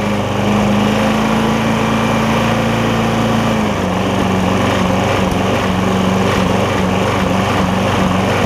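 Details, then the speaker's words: Lowe's MTD push mower with a Briggs Quantum engine, after an intake valve grind: runs steady, then its pitch drops and hunts about every half second, a surge. It runs better, not choking; owner suspects the valve was ground slightly too far and it needs more fuel. "it is running even though it's surging now I think I'm a little bit too far on the valve it is running better it's not choking itself out"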